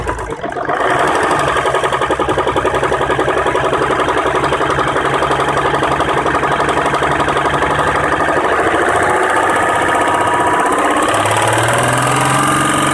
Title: Jeep WK CRD Engine Knock